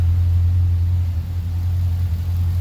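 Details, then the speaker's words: Twin-turbo Chevrolet Caprice PPV V8 on pump gas after repairs to exhaust leaks and leaking wastegates: steady, even low idle rumble with no misses, knocks or exhaust ticks, much quieter up front. "idle is way better no more exhaust leaks way quieter up front"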